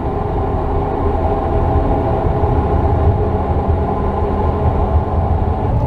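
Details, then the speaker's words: 2022 Hyundai Santa Fe Calligraphy, 8-speed DCT, about 80,000 miles, driving at 20 mph, also recorded at footwell: low steady scrubbing drone persisting off throttle, louder with speed toward constant hum; catastrophic transmission failure, repaired under warranty. "All right, so this is at 20 miles per hour. Hopefully you pick up and hear the scrubbing noise."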